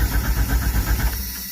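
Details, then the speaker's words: Jeep Cherokee XJ that wouldn't start after sitting through a 9-hour shift. Even cranking pulses at about eight a second, then it stops without catching. Owner attributes the crank-no-start to a failing fuel pump. "my Jeep wouldn't start so uh this is the typical signs of a fuel pump going out"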